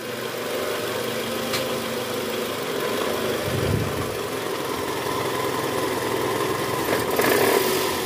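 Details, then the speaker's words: Toyota Camry 2010, 2AZ-FE engine: cold start idle in neutral, D or R, gives a loose gravelly "grkrkrk" rattle from the oil pan area, fading as the engine warms; confirmed worn, loose balancer shaft once removed. "Oke jadi bunyinya bunyi kasar di area bawah ya Bunyi gerak gitu nah ini mesinnya udah mulai panas jadi bunyinya sedikit berkurang karena Tadi udah sempat kita nyalain ya ciri khas dari balancer shop itu bunyinya pada saat awal mesin hidup"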